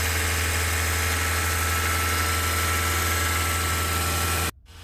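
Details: Mahindra XUV500 after replacing accessory drive belt and tensioner for noise with AC on; smooth, steady idle hum with no squeal or belt chirp until switched off: belt drive healthy.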